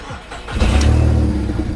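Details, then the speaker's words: VW Polo 1.2 daily headed for scrap: starter whirr, then a loud, raspy, puffing idle from underneath as exhaust dumps out below the car. Huge exhaust leak that needs fixing. "you can hear the exhaust is pretty much dumping from down there. So yeah, that will be something we definitely need to fix."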